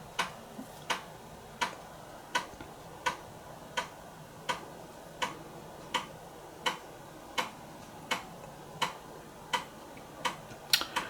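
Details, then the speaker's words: Commodore Amiga 1200 floppy drive (previously hit-and-miss) reading all tracks in a read test: crisp, evenly spaced clicks about 80 a minute over a quiet background; normal head stepping, all tracks read and drive judged working perfectly. "don't just love that sound that's the problem if you put a gotek in your omega you lose all the sounds"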